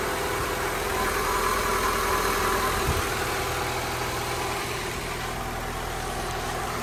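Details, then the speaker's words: Honda EK hatch, D16Y7 freshly refreshed (head gasket, water pump, timing belt, seals), settled after first start-up, idle about 1,300-1,500 rpm: fast idle easing down and steadying, even firing with no knocks, ticks or misfire; normal idle. "Idle's about 1.5, a little under like 1.3. Sounds about right. What a relief."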